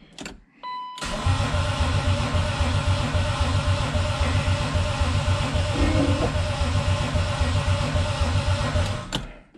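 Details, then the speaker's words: Turbo BMW E36 project, first start-up attempt, about four gallons of fuel, good battery and grounds: steady starter cranking at about three to four beats a second that never catches; crank, no start. "damn that was wrong why why won't you start what am i doing wrong"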